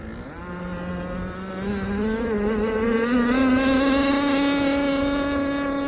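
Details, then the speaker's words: Aeromarine Avenger 44 RC boat, Zenoah 29cc gas two-stroke with steel Gizmo pipe and an untried ABC prop of about 66 mm: a crisp, even scream climbing smoothly onto the pipe at high RPM, healthy run. "Oh, okay. That sounds good. Damn, that sounds good, you guys."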